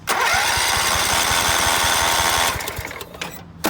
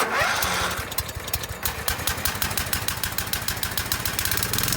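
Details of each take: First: Scotts by John Deere riding mower, 16 hp Kohler Command, new battery, ether used, fuel smelled: even starter cranking about four beats a second that never catches; crank no start, no spark, coil wiring suspected grounding out. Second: Scotts by John Deere riding mower (42-inch deck), 16 hp Kohler Command engine, first start after repairing damaged wiring for a no-spark fault and re-mounting the loose engine: uneven cranking pulses for a few seconds, then catches and idles smoothly; normal start and idle.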